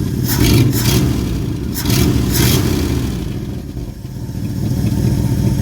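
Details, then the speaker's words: 1974 Ford bumpside with FE 360 V8, rebuilt Motorcraft 2-barrel carb after idle adjustment: deep, steady V8 rumble, throttle blips returning cleanly, running better than ever before. "Might have, I don't know, man. I mean, this is better than I've ever seen this"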